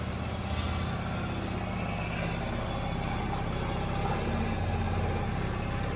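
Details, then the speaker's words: Yamaha V-Star 1100 (XVS1100) V-twin idling after a carb clean, with the airbox off: a loose, loping, even idle with no misses, knocks or rattles. It runs well, so this is a normal idle. "sounds like it's running pretty good for having the airbox off of it."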